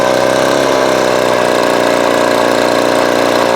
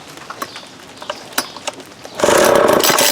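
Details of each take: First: Vintage Craftsman 22.2cc 14-inch two-stroke string trimmer, estimated early-to-mid 1980s, original spark plug and fuel filter, fuel line replaced and carb cleaned; steady high idle buzz, dropping off smoothly at end; runs clean and even, healthy. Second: Vintage Craftsman 22.2cc 14-inch string trimmer, likely early-to-mid 1980s, new fuel line and cleaned carb, original plug and fuel filter, choke on: pull-cord clatter, then a short ragged bark that dies; barely fires, won't keep running.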